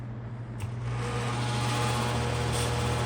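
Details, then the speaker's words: Rare McGraw Edison box fan on high speed: loud, steady low buzzing hum with a rhythmic wobble and significant vibration; owner suspects a blade balance issue or a noisy grill, which washers on the bolts might help. "So it's not high on a priority list for me to tear it apart and figure out why it vibrates so significantly on high."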